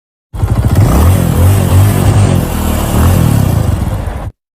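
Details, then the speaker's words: Hero HF Deluxe 100cc bike leaking oil from the head: uneven chuffing clatter at idle, like piston knock; a blown head gasket. "इस bike में समस्या यह है कि इसके head से आयल लीकेज हो रहा है और इसका साउंड खराब हो चुका है जो कि आप आवाज सुन सकते हैं इस बाइक का"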